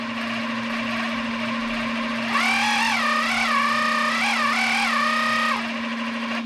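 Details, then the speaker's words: 3D-printed RC outboard with greased gears, after run-in: smooth electric whine stepping evenly with throttle and holding steady pitch, no roughness or clatter; much smoother, holding the same RPM. "I mean right now you can you can already hear how much better it's running so it's it's a lot smoother it's um it's staying at the right the same RPM"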